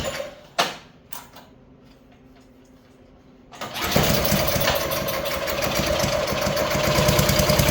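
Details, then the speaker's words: Craftsman snowblower, oil full and fuel present, started on choke: the small engine runs with a steady whirring rattle riding on its beat. Abnormal running noise; a bad bearing is suspected but not confirmed. "What's going on? What's going on? Sound like a bearing. Sounds like a bearing."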